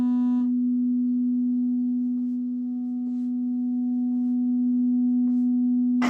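A steady low tone plays with faint crackling ticks about once a second riding on it; the TV speaker is distorting.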